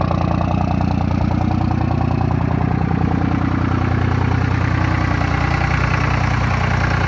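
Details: 2nd-gen Dodge Ram 24V Cummins with VP44 injection pump: steady, loping diesel idle chuffing evenly about 200 times a minute; the normal three-cylinder warm-up high idle.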